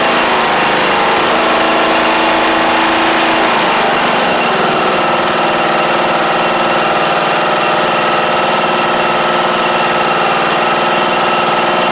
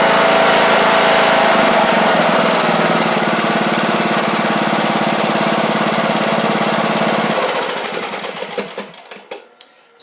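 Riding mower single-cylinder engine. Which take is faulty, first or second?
first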